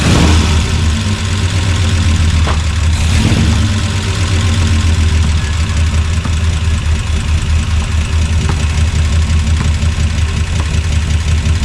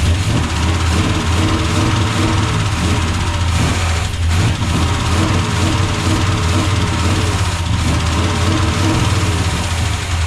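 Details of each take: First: 1976 Chevrolet C30 dually, freshly swapped Gen 6 454 big block with hydraulic roller cam, running on residual fuel after draining: deep, loud V8 rumble holding a steady idle with a slight uneven lope; rough idle. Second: Freshly swapped Gen 6 454 big-block Chevy V8 with hydraulic roller cam in a 1976 C30 dually, just started: deep idle with faint quick lifter ticking and an uneven beat. Owner thinks it may need warming up and oil pressure; gauge shows 60+ psi; idle problem likely carb-related.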